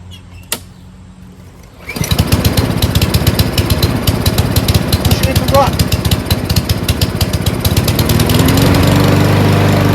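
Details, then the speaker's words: Free Cub Cadet mower, probably an MTD build with a Powermore engine, after carburetor cleaning (it had run only on full choke): one pull, starts right up and runs fast, steady and even, no misses. Smoke from muffler oil left by long storage dissipating. Normal running. "Starts right up. Runs great. Smoke started to dissipate from all the oil in the muffler that's been sitting so long."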